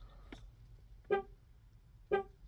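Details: 2005–2009 Chevrolet Equinox, newly programmed keyless entry key fob. Two short, clean horn chirps about a second apart on locking show the remote and horn respond properly.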